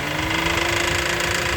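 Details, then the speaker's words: Car idling with the air conditioning switched on: fast rattling knock over the idle with a faint steady whine; a shop condemned the A/C compressor, and its bearing is blamed for the noise; knocking with A/C on. "quando ele liga o ar condicionado faz esse barulho ó o barulho aí ó vai ligar o accionada"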